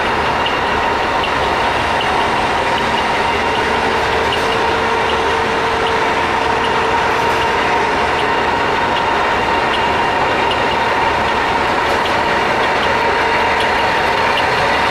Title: knuth lathe DL550B machine running with spindle gear engage having abnormal sound